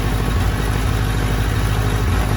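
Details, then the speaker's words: Fuel-injected 2003 Kawasaki Z1000, 3,000 km, cold start at 25–30°C ambient on choke: uneven, lumpy, stumbling idle and a wrong exhaust tone; cylinder #3 misfires or is dead for about the first minute until warm. "you can tell this is not that exhaust tone is not right there's definitely something missing here"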